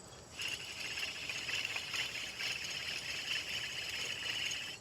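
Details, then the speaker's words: 2013 Jeep Wrangler worn wheel bearing, removed and turned by hand: gritty, high rasping grind; while driving it hummed from about 40 mph like tire roar. "makes a pretty distinct sound. And when you get driving down the road, it gives it a hum at about I don't know, it starts up at about 40 miles per hour and just kind of almost sounds like a tire roar."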